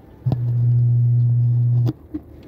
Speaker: Ang its nito maugong at ah may DC out.